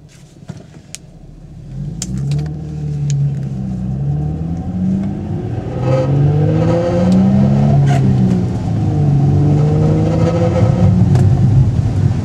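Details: Infiniti G35 coupe with a newly installed Kinetix HFC and stock catback exhaust: revs rise and fall with a light metallic rattle on the exhaust note; cause unknown.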